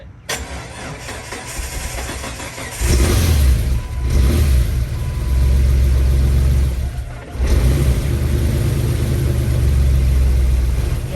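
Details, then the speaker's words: 2001 Jeep Wrangler TJ with a worn-out original engine, replacement engine bought: catches after a stumble on the second attempt, then revs and idles with an uneven, lumpy low beat, sounding terrible; rough running. "God, that sounds terrible."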